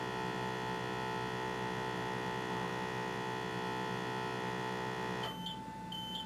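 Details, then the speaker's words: M2X Series DTG printer: ink pressure pump hums, then cuts out and a high beep repeats in pairs; pump timed out from an air leak (bottle left open), rear-left panel light flashes amber/red for pump restart. "and there it is so from behind the machine if i'm standing behind it looking towards the front on the left hand side you've got a little panel and now i've got a light that's flashing amber and red and it says ink pressure pump status is where the light is and it says pump restart"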